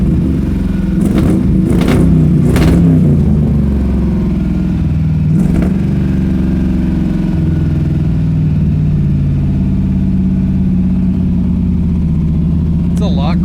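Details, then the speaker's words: Pontiac Strato Chief with a newly installed homemade exhaust, running on choke: a few throttle blips, then a low, smooth idle with a soft exhaust note, much quieter; it then backfires as it runs out of gas. "like a lot quieter that's nice it's good is good"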